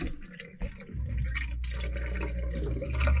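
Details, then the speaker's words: Dishwasher drain pump running after the unit is powered back on during cabin winterizing: a low steady hum with water gurgling through the drain as the wash cycle is cancelled and drained; normal drain pump operation. "so what we're going to do now is cancel and drain there you go it's cancelling a drain come up here you can hear it gurgling"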